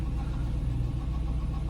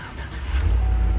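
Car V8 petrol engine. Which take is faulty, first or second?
first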